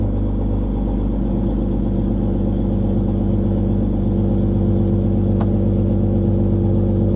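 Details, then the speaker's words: 2000 Jeep Cherokee XJ 4.0 I6 after coolant temperature sensor replacement: engine catches and settles into a steady, even low hum; previously cranked, fired once then died or idled low and stumbled, now cranking and running cleanly. "it's cracking better cranking better than it was"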